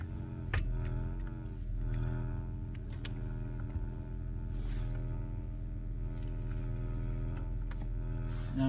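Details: 2005 Acura RL creeping at low speed in reverse and drive around 10 mph: steady low reedy buzz from the passenger-side front speaker panel, silent in park, fading by about 15 mph.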